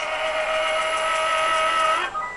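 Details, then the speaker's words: Enermax Liqtech TR4 240 mm AIO cooler on a Threadripper, noise starting after about 10 minutes as idle temps rose past 50°C. A steady high whine holds at one pitch, then drops away. Failing pump bearing. "hear that that's the something of bearing in the pump that's the pump"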